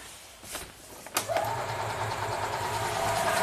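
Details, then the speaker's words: 2004 EZ-GO gasoline golf cart that quit after driving through a deep puddle: steady cranking that never fires; very weak spark. "see there's a very weak spark and shut it off"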